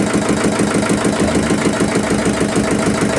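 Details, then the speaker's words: Yulin 2105 single-cylinder rice-mill diesel idles with an even thump of about three beats a second and no hiss or puffing after valve seat repair fixed the leaking-valve compression loss; normal idle. "Mesin sudah mau hidup, gas besar mau, gas kecil sudah mau dan oke kita matikan."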